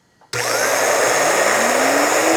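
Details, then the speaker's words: Dryer universal motor on the bench with the carbon brushes reinstalled, before the commutator is cleaned: a loud rising whine with a rough, crackly hiss. Big sparks were seen; the brushes are bouncing on the commutator, while bearing play seems minor. "when I was running it, we could see those big sparks, and and again, we can hear even more boldly that run out."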